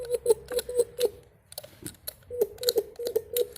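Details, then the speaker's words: 1976 MG mechanical fuel pump worked by hand after disassembly. It needed no parts, only lubrication and varnish blasted out of the inlet and outlet. Crisp, even clicks with no rattle or hiss, pulling vacuum and pushing; normal stroke. "anyway it's pulling a vacuum on this one and it's pushing on this one"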